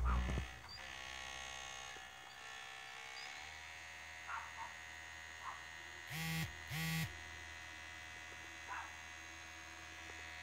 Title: Ps4 making loud noise again!